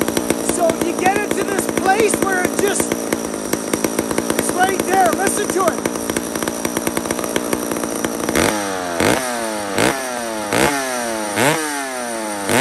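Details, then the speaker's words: Mac 125 SP chainsaw with single-jet carburetor, off throttle; screaming two-stroke surging up and down about once a second, set right on the cusp of too lean to idle, loads up when richened slightly. "it just goes whack and that's right on the cusp of where it's too lean and it won't idle that's that single jet"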